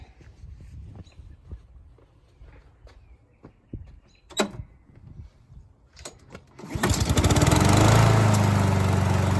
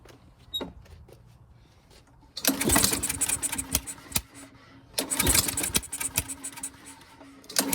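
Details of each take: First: Honda push mower, 160 engine, no-start caused by a dented valve cover; after the dents were banged out and fresh fuel added, it catches and settles into an even, steady run with no misses or knocks. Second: Honda push mower, no start, fresh fuel: two bursts of cord-pull cranking with sharp spitting pops but no catch; a dented valve cover presses the rocker arm, holding the intake valve open.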